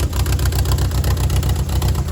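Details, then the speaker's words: 1.8T Volkswagen B5 Passat with a 400,000-mile engine, timing set under 100 miles old, most vacuum lines disconnected: a heavy, pulsing rough idle with an irregular stumble every few beats; the engine is suspected to be finished, exact cause not confirmed. "It's running even worse right now because almost every vacuum light is disconnected, but I don't think that's supposed to be happening."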